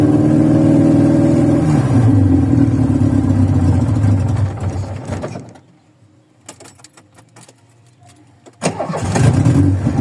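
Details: VW Voyage cold start after sitting many days, worn old mechanical parts: cold engine stumbles unevenly at idle, fades out, then catches again on restart; takes a couple cranks, rough cold idle while warming up.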